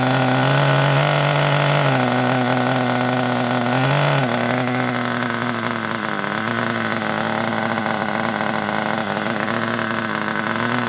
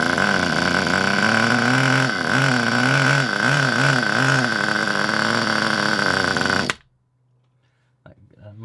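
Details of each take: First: Kyosho Pure Ten (P10) Alpha nitro RC car after pull-start repair, fitted with a non-original exhaust, possibly running very rich: high buzzy two-stroke note blips then settles into steady even run; running normally. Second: Kyosho Pure Ten Alpha nitro RC car, cold with a weak glow plug: buzzes steadily, then sags and wavers when throttle opens, never revving; bogs, possibly very rich or full of oil, needle may need adjusting.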